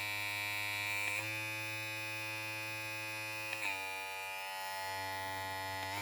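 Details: Opove X Prime rechargeable hair clipper, fully charged, speed setting stepped through about 5000 to 7000 rpm: steady high-pitched motor whine with small pitch step at each change; smooth, even running, no rattle.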